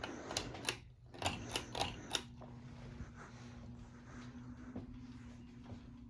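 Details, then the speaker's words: Bahama Hugger 52-inch ceiling fan model MC-52: sharp irregular ticks over low motor hum fading to faint clicks, louder in reverse; owner suspects a wire nut hitting the motor rather than bearings, unconfirmed. "it definitely sounds like it's a wire nut that's hitting the motor"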